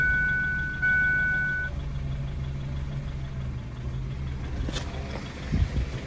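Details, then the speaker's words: 2002 Ford Focus after a PCV hose repair for code P0171, restarted after a long test drive: quiet, fairly even low idle with slight unsteadiness; idles okay now, still a touch rough in gear, P0170 seen once. "And she seems to be idling okay now, for sure."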